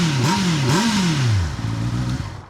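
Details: 2025 Honda CB650R E-Clutch, 650cc inline-four with manual gearbox and auto clutch, microphone at the underslung exhaust pipe: crisp blips rising and falling with the throttle, then a steady low burble; normal, healthy revving exhaust note.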